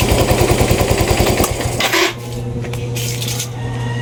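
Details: Yamaha Mio i 125 scooter at idle, misfiring (palyado) and smoky; hard starting, TPS drifting out of adjustment, O2 sensor voltage not reaching 1 volt; rapid uneven popping beat that stumbles and sags, misfire, cause not confirmed.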